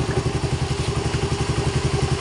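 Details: 2017 Suzuki Raider 150 after engine refresh and clutch lining replacement: smooth regular pulsing beat around ten a second, steady low tone, no ticking or clatter; normal healthy running.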